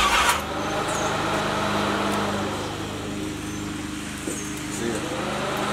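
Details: Budget-build box Chevy V8 with serpentine drive: low, even V8 rumble holds several seconds and eases slightly midway; engine starts and runs briefly on its own.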